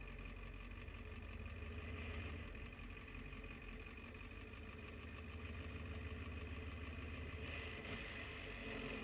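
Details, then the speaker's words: Diesel truck with newly installed ZF5 transmission and new clutch at idle, clutch in then out: light, uneven rattle under the engine beat. Noisy transmission, gear rattle at idle. "Oh yeah. We have a noisy transmission. Clutch in, clutch out."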